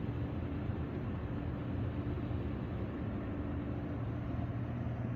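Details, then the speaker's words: Hot tub with two jet pumps, rechecked after capacitor replacement and panels refitted; previously non-working side now runs: low, steady motor hum with constant water rush, no stalling or droning buzz; both pumps normal. "So let's just check it again. So let's try the ones that didn't work last time first. And you see they're working."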